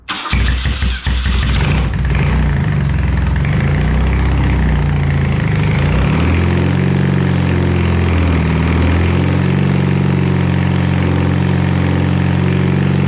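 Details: BMW R100 airhead twin, first start after full rebuild with new crank, rods, rings, seals, head refresh, Bing carbs roughly set: cranks and catches within two seconds, settling to steady even idle with no knocks or misses; healthy.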